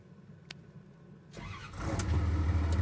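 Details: John Deere 2054D excavator diesel at 14,644.9 hours, first start after its leaking swing motor was replaced, on a warm day. A brief crank, then it catches cleanly and builds to a steady low rumble: a healthy start.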